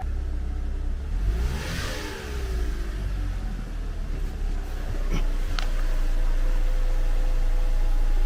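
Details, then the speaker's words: 2014 Cadillac CTS 2.0T running after a new timing set and head gasket; revs unevenly and sounds held back with odd clicks, in reduced power mode from the unplugged fuel pump; codes cleared afterward. "all right so this thing kind of sounded weird it was because it was on reduced power because of me unplugging the fuel pump and stuff"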